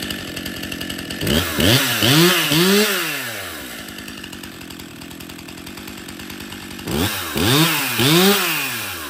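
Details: Stihl MS261 50cc M-Tronic chainsaw after full service, new fuel solenoid, air filter, fuel filter, spark plug, bar and chain: two clean throttle blips returning smoothly to even idle; starts and runs well, oiling well.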